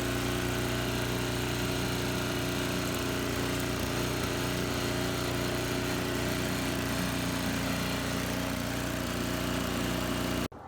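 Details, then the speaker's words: Restored MTD Yard Machines 24-inch snowblower with Tecumseh 5 hp 195 cc engine and replacement carburetor: steady, even single-cylinder drone holding speed while clearing wet, frozen old snow, with no misses or knocks. Running normally under load. "Alright, so I cleaned up with this snowblower all this area very nicely. Sometimes I had to go twice because the snow is wet and it was frozen, so it was an old snow."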